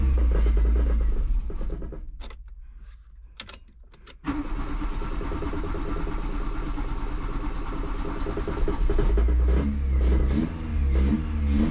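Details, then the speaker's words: Carbureted VW Golf 2 after rebuilding and resealing the carburetor to cure an air leak: cranks, catches, then revs up and down with a deep boomy exhaust drone and no hiss of an intake leak; the noise is the exhaust line. "Le bruit, c'est la ligne. Pas de fuite. Pas de fuite."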